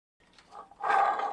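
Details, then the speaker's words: Jaguar XJS V12 water pump removed during coolant system overhaul, turned by hand: loud rough growl swelling as it spins, badly worn bearing. "can you hear that? Now that's a really bad water pump."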